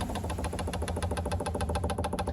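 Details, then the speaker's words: Webasto EVO diesel heater after burner replacement, 60-second fuel prime: rapid crisp ticking about ten per second as the dosing pump runs dry and fast before fuel reaches it; note softens once fueling. "so um fuel priming I'm just going to run this it's 60 seconds a time and you can hear the pump running much faster"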